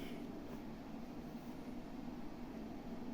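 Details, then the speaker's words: Loud constant low whirring hum with a faint buzzy tone and no speed change from a stock Fujifilm desktop PC at power-on, louder than a PlayStation Pro; noisy cooling fan. "as you can see it's very loud it's is even louder than the PlayStation Pro"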